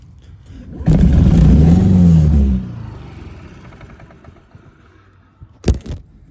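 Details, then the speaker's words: 2009 Honda Metropolitan scooter, after sitting, with a paper towel covering the air intake to choke it: the engine revs up on its own with no throttle, then sags back. "so if you hear how it's revving up I'm not hitting the throttle at all awesome dude also I'm doing is taking this paper towel and I'm manually choking the air out of it here at perhaps up"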